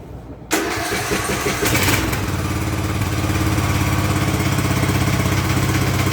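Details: Craftsman LT2000 lawn tractor, unused since about 2013–2014, started right after an oil and filter change. It cranks and catches at once, then settles into an even chugging idle about three beats a second, no knocks or squeals: normal start and idle.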